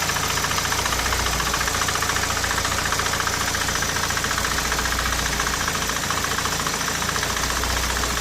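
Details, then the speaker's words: Nissan Primera P10 1.6 carbureted four-cylinder after engine gasket restoration, warm: even, fast ticking idle at constant speed, no knock or misfire; normal idle (cold starts troubled by faulty carburettor valve). "voilà ça c'est le ralenti normal vous voyez avec les lumières cette prime est rare"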